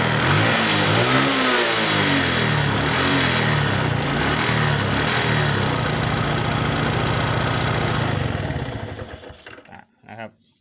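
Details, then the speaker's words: Suzuki Smash with sidecar, hard starting and won't rev: lumpy idle sags and dies after about nine seconds; suspected worn engine plus fuel leaking from fuel tap into vacuum line causing flooding, fuel line to be replaced; stalling at idle. "เป็นก็อาจเป็นอาการของเครื่องหลวงปลวกเครื่องหลวมบวกกันกับน้ำมันลงทางสายดูดน้ำกลายเป็นน้ำมันท่วมนะครับ"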